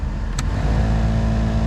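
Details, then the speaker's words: VW Gol G8 cabin AC blower on the top speed, 4: steady rushing fan roar with a low hum and slight vibration and buzz; the blower is noisy at speeds 3–4. Cause unconfirmed before disassembly. "o meu Gol ele tá fazendo um barulho quando a gente liga o ar condicionado ele faz um um barulho na no ventilador"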